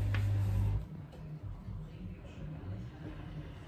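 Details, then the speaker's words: Dishwasher that was not draining, near the end of its cycle after the filter was cleaned and reassembled. A bump, then a low, even churning hum with no grinding or gurgling; it sounds good and runs normally before beeping done. "do you hear it it sounds good okay Moment of Truth it just beeped so it should be done"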